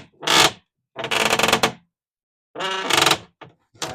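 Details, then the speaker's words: Boat lazarette hatch hinges, before silicone spray: several drawn-out, high squeaky creaks as the hatch is worked back and forth. The hinges are stiff, corroded and binding, and their friction risks breaking them. "you hear that the hinges are like really tight and corroded and all that friction can cause them to break"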